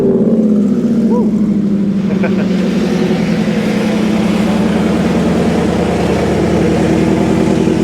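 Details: 1949 Ford F-1 restomod with Gen 2 Coyote 5.0 V8, 6L80 6-speed automatic, 9" rear with 3.73 gears, on test drive: strong, even V8 drone pulling smoothly through the gears over road and wind noise, no knocks or misses; healthy.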